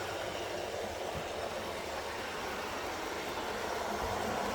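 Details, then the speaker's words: TT120 model train layout, on track section with the cork underlay removed: soft steady rolling hiss, only light clicks at rail joints; much quieter than the noisy section on cork and foam. "so let's see if we can hear the difference now I've done [Applause] that nice and quiet there"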